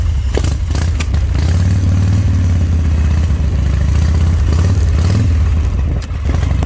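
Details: Owner-built Harley V-twin, which the owner says shows nothing wrong. Deep, even lope holding steady with no knocks, misses or rattles. Engine running healthy.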